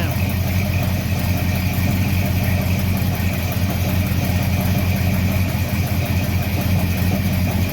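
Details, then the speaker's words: Freshly built 350 Chevy small-block V8 during break-in, after tightening valve covers to stop leaks: deep, even rumble at regular idle holding steady with no knocks, ticks or misses; runs well. "I'm still stoked though it runs damn okay"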